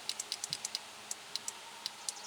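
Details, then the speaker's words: 2005 Chevy Tahoe door power window that quit: sharp relay clicks on and off with no motor hum when the switch is pressed. The window motor gets no power through a bad connection. "hear the relay clicking on off you can or not okay push down on the switch that's my problem right there so it's the connection problem bouncing off the motor"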